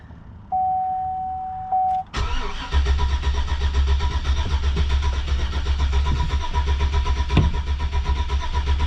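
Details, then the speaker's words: 2004 Chevy Silverado cranks but won't start after a junkyard crank sensor swap, with a battery borrowed from a Yukon. Chime, then steady starter churning about one beat a second that never catches. Fuel pressure is fine. "So I got nothing, guys. So I'm gonna keep on doing some tests here, and if I find something out, I'll let you guys know."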